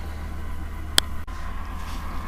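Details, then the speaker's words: Acer Aspire E1 laptop (Q5WPH) before cleaning: steady low fan whir with faint whine and a click; the cooling system is clogged, likely with hair tangled in the fan, making it crackle. "все забилось скорее всего это волоса украшать поэтому на вентилятор вист запутался у них и трещал"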